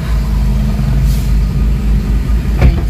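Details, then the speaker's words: Toyota RAV4 after repairing wire that caused crank-no-start: steady even low idle rumble, no misses or stumbles; normal idle. "check natin yung engine bay. So ayan na, start pa siya."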